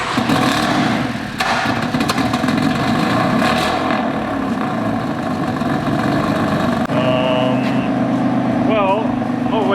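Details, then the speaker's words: Fire-damaged BMW F80 M3 after full rewire, DME wire from another BMW and refitted exhaust, start-up: engine fires and settles into a steady, even running note with no misses or knocks; sounds healthy, just needs warming up. "I think I just need a second to warm up there. It's good."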